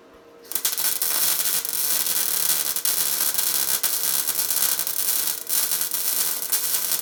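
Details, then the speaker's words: Tesla MIG 260 MIG welder welding 3 mm metal: steady, even frying crackle with no pops or spatter, the correct sound of a welder properly set for this metal. "ось такий правильний звук правильно налаштованого апарату на даний тип металу"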